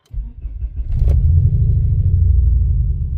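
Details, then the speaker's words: Ford Focus ST five-cylinder with pending code P0101 (MAF sensor), new MAF fitted, induction kit and air filter off: starts into a deep, lumpy rumble with an uneven, hiccupping beat; engine misfire not solved. "Instantly sounds like a bag of [ __ ] Uh yeah."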